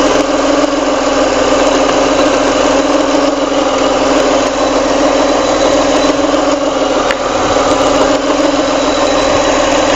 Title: Weird noise from cam belt area - Alfa 166 V6 3.0